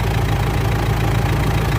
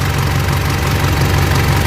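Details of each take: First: Mitsubishi L200 Triton 3.2 diesel, cold, idling after timing chain replacement for noise that appeared at normal operating temperature: even, steady idle with soft regular clatter, no rattle or knock; sounds healthy, injectors still to be reprogrammed. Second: Mitsubishi L200 Triton 3.2 diesel at working temperature, idling: fast fine metallic chatter over the clatter; timing chain knocking only once hot, mechanic says from chain expansion; chain kit to be replaced.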